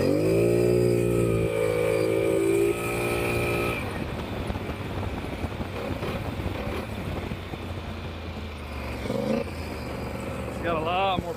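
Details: Polaris Sportsman ATV (850 per title, 570 per speech) after new spark plugs and wires fixed a misfire or skip: the engine pulls up cleanly and settles into a steady, even rumble with no miss; normal running.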